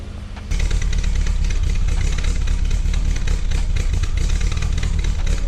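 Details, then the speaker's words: Peugeot 205 GTI with ported and polished head, newly restored and first fired up: uneven lumpy loping idle, not smooth; distributor adjustment suspected, not confirmed. "urprised as the engine does sound a little bit lumpy. Even though it's ported and polished, it should still sound smoother than this."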